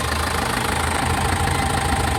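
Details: Foton Transvan diesel (4GB1 engine) that stalled after a few km and would not start, idling after the relay was fixed: a steady, even low rumble with no misses or knocks. Normal idle.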